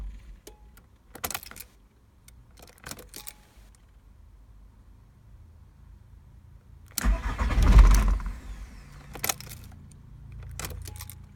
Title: VW Golf Mk3 Tdi - no start